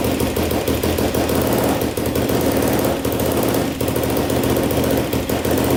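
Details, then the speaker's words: 2007 Yamaha YFZ450 quad, first start after reassembly, on choke: fast sharp clatter over the single's choppy idle, loud top end, not smoking; top-end noise, valves or timing chain suspected, timing chain more likely. "a little loud on the top so i'm doing great though not smoking all right well uh it runs pretty good i hear a little bit of tap and noise i don't know if it's the valves or the timing chain"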